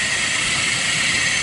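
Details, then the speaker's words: Engine running in very cold weather with a cracked serpentine belt: constant high hiss with a thin steady whine, first suspected from the alternator or power steering, traced to the idler pulley by the air conditioner; idler pulley bearing noise. "I started to back up and that's not the noise is coming from that idler pulley down there on air conditioner"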